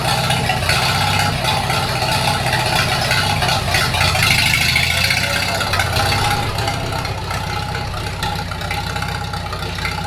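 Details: 1942 Farmall H tractor, hand-crank started in the garage after transmission teardown and repair of a scraping/screeching noise and hard reverse shifting, carburetor not yet adjusted: steady even idle with low regular beat and some sheet-metal rattle, no knocks or misses; normal running.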